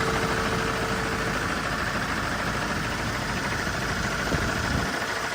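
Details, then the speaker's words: 2010 Land Rover Defender 110 2.4 TDCi idling with the aircon running: steady, even diesel clatter with the aircon fan hissing behind, no knocks or stumbles. Normal diesel idle. "2.4 TDCi motor here with the aircon running. It's doing what it's supposed"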